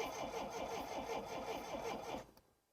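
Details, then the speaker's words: 1960s Homelite 55HP outboard boat motor with new ignition capacitor and thicker battery wire: steady starter cranking with even compression pulses for about two seconds, no firing; no-start, no electricity reaching the points suspected. "sounds like she wants to but there still sounds like there's no um electric getting to the uh the points there"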